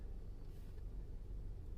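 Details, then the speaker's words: 2019 Toyota RAV4 with 35,000 km, after the engine assembly was replaced under warranty because of a knocking noise, zero oil pressure (DTC P05202A, P052477) and metal debris in the oil pan. Low, steady rumble, smooth normal idle, oil pressure good. "I already changed the engine assembly warranty now the engine oil pressure is working good"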